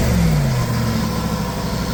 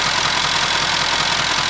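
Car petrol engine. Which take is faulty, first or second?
first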